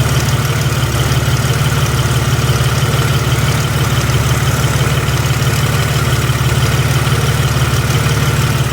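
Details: Jeep WJ 4.0 at idle: steady regular tick about three per second over the low engine drone; owner suspects flex plate, shop thinks more likely torque converter; not confirmed or repaired.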